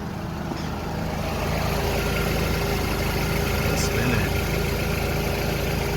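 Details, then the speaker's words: 2006 Honda Accord coupe at idle with AC on after replacing the AC compressor clutch, whose magnet failed from age and overheating: steady, even hum with no squeal, rattle or grinding, everything spinning smoothly; normal idle with compressor engaged. "everything's spinning smoothly no noise it's time to close it up and go for a test drive"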